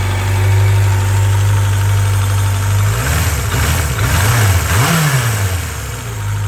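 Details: 1995 Suzuki GSX600F Katana after valve adjustment, oil change, new spark plugs and proper routing of carburettor vent pipes, carbs synchronised: smooth, even idle, clean quick blips returning to steady idle; carbs sound balanced.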